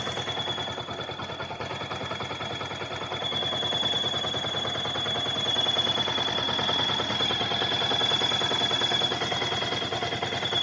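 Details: Yamaha R15 with a thin, steady high whistle over the ticking engine. It appears once the engine is hotter than 90°C and coolant loads the pump impeller. Failing water pump bearing; the fix is replacing the bearing and the oil pump seal.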